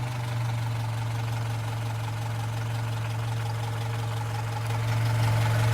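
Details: Opel Rekord P1 long-version engine at steady idle: deep drone with quick light clack about four per second; source unclear.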